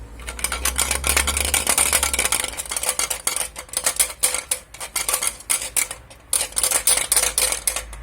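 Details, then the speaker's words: Polini scooter exhaust silencer shaken by hand, giving a dry maracas-like rattle about four shakes a second that it also makes when riding; something loose inside is suspected, and the silencer is to be cut open to find the cause. "On va couper un pot parce qu'à l'intérieur il y a quelque chose qui vibre. Je vais te montrer. Alors c'est ce pot. Tu vois, il fait des maracas quand tu roules."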